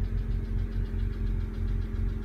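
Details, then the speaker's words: BMW 135i E82 N54 after rebuild, troubleshooting P0306 cylinder 6 misfire, idling while warming toward about 120 coolant temperature: smooth even idle, steady low hum, no stumble or miss. "let's go try this that works Brian like brand-new"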